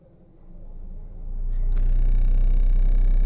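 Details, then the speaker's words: Car that vibrates when AC is switched on, engine off, radiator fan run at low speed through a diagnostic actuation test: deep droning hum with a rough throb about four times a second and vibration; fan fault, worn fan motor. "वो आवाज़ सुनी? इसका मतलब है कि जब हम यहां सक्रियण परीक्षण कर रहे हैं। पंखा घूम रहा है।"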